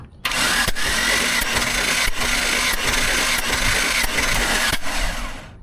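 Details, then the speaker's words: Jeep engine during a compression test with the tester adapter pressed by hand. Even starter cranking with a thin, steady high whistle of air escaping past the gauge adapter seal; cylinder one then read 135 psi. Compression tester adapter leak whistle. "Now notice, now if you notice a moment ago when we turned the engine over, you can hear it go psh, that loud whi"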